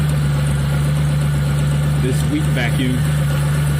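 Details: Engine with code P0401 keeps a steady, even idle with a low drone and no stumble even with the EGR valve lifted or removed, where a vacuum leak should make it run poorly; a blocked EGR passage is suspected, not confirmed.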